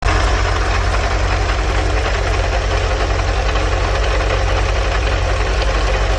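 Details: 1984 Vanagon 1.9L water-cooled engine at idle: loud steady rumbling with a rough beat about four per second; owner suspects the water pump pulley, source unconfirmed.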